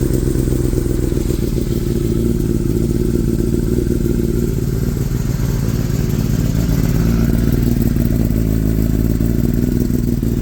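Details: Kawasaki ZX10-R rebuilt after a wreck, idling after its first start. Steady, even idle with a fast regular beat, no misses, knocks or rattles, no check engine light: running healthy.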